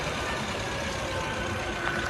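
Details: Maruti Suzuki Ertiga with a no-crank, no-start fault, started by bridging the ignition switch start pin with a single wire: steady, even running with a smooth low hum and no knocks or misses; normal idle.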